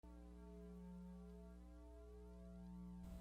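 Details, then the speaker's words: Guitar pedalboard rig: constant low electrical hum with a faint steady buzz above it, typical of pedalboard power and noise issues; cause not yet identified. "hear that noise? That's a sound that a lot of guitar players struggle with. Just noises and buzzes from their pedalboard and their guitar rig."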